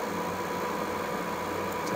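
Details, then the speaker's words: Reznor UDX 75 gas-fired single-stage unit heater on heat call, no gas connected: venter motor low steady whirring hum at even pitch, no rubbing, ticking or wobble, during pre-purge with spark igniter ticking; normal run. "so now that we have this turned to heat the venor motor has kicked on and it's going through its pre Purge cycle"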